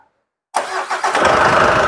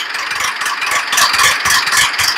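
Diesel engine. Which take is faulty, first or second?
second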